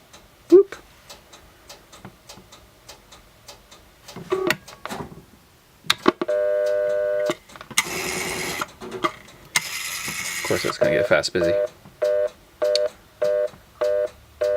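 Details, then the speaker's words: Automatic Electric Model 880 Executive Speaker Phone, long stored in a basement, taken off-hook on test line: clicks settle into a steady, full dial tone, then evenly spaced ringback bursts; phone line working normally. "okay it's a hook now hey listen to that big dial tone"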